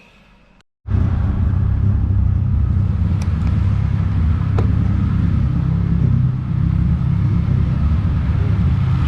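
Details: Honda J-series V6 swapped into a 2008 Subaru STI with turbo kit, first startup after wiring and parameter setup: silence, then the engine catches and settles into a steady, deep rumble with no knocks or misses; running fine.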